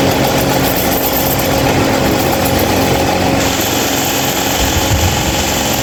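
Constant loud rushing roar with a rough low flutter and faint hum, steady throughout; this fan runs far noisier than it should.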